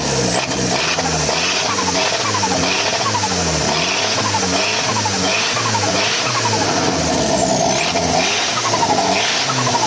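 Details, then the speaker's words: Škoda 130 project swapped to a 1.4 MPI turbo engine running 1.8 injectors, just started: loud, uneven, rough, ragged note stumbling through revs, burning poorly and smoking black; rough running from rich mixture on oversized injectors. "Pozri, no, keď to naštartujem, počkaj. Vidíte, to je proste nedobre spaľuje a dymy na čierno, hej."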